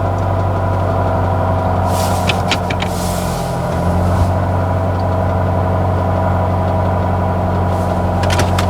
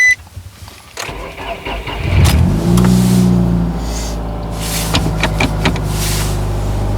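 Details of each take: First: B16 Nissan Sentra rallycross car with solid QT link torque mount, recorded from inside the cab at idle: low drone with coarse buzzing throb; mount transfers heavy engine vibration through the metal into the cab. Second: B16-engined Nissan Sentra rallycross car with new race torque mount insert (harder compound), startup NVH test recorded from inside the car: cranks, catches, steady idle with low cabin drone, no clunks; sounds normal.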